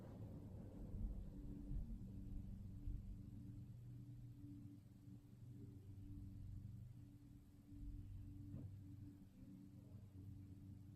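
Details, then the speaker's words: Early-1970s Electrohome 652-1 20-inch two-speed box fan with metal blades, switched off from high after restoration: low, even motor hum coasts down slowly over several seconds, no scraping or rattle, a longer spin-down than remembered. Normal. "these metal blades keep the motor spinning for quite a while huh that's actually quite a long spin down time I don't remember it being this long"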